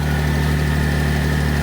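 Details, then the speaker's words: 2025 Ram 1500 RHO, 3.0L Hurricane HO twin-turbo inline-6 (540 hp), cold start on a cold snowy morning, listening to the valvetrain: steady, low, even idle with no ticking or tapping, quiet and healthy. "quiet sounding good not hearing any noises this cold morning"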